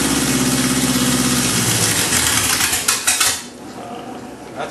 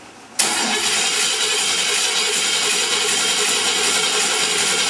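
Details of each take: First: Oldsmobile Rocket engine on a stand, just fed gasoline and throttle: catches and runs unevenly for a couple of seconds, then sags and dies; hard to keep it running, cause not evident. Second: Oldsmobile Rocket engine on a stand, coil wire disconnected, no fuel hooked up: the starter spins it at an even, unbroken rhythm for about eight seconds with no catching or binding; it cranks freely without firing.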